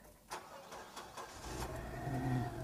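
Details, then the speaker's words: Nissan Grand Livina just cold-started: brief crank then even, steady idle with no knocks or ticks, slightly extra effort pumping oil right after start; sounds healthy. "jika kalian bisa dengar mobil ini baru banget hidup baru banget dinyalain jadi agak sedikit extra dia untuk memompa olinya ya"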